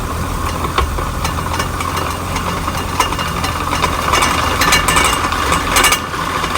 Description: Grinding sound coming from rear differential! Yikes!!!